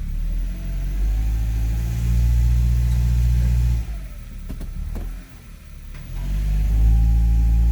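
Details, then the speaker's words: 2002 Honda CR-V AWD automatic shifted into reverse under load: steady idle rumble, then the note drops and sharp knocks or a kick pop through. The transmission mount is destroyed. "now watch when i put it back in reverse if you heard that kick that is an indication there that you have a bad mount"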